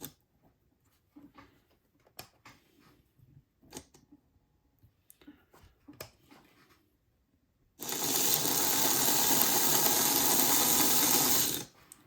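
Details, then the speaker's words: Small model diesel locomotive motor after cleaning oil off the brushes, wheels refitted: desk rattle, then buzzy, harsh whir running rough and stiff; owner says the rattling is the desk and it needs to wear in. "Okay, I know that sounded rough, but it was just rattling on the desk, trust me."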